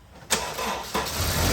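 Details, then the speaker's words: Honda Civic with a corroded battery, restarted: the starter turns over with a slight hesitation before the engine catches, which shows the battery needs replacing. "hear that little hesitation that's how I know it needs a battery"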